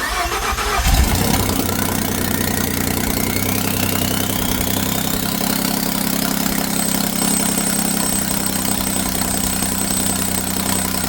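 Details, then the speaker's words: 2011-2016 Ford F-150 3.5L EcoBoost after BD Diesel exhaust manifold replacement, exhaust pipes off; cranks, catches quickly into loud, even deep open-pipe idle, no ticking or leak puffing, coolant burning off; normal idle. "So let's going to start it up. I don't have the exhaust on it here, so you'll get a good deep tone from the exhaust."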